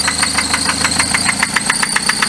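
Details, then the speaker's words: Petrol engine with 95k miles idling with a hard, metallic knock about seven times a second from failed internal bearings; metal debris was found in the oil pan, and the engine is considered gone. "and now you can hear there's that knocking sound coming from that area which tells you the engine is gone"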